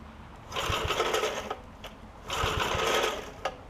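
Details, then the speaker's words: Snapper 5hp Briggs tiller, two starter rope pulls each giving a harsh rasping screech with low thumps; pull rope bearings needed lubing; engine also had a stuck valve fixed and torn carb diaphragm. "all right got ball bearing issues on this so let me work on that"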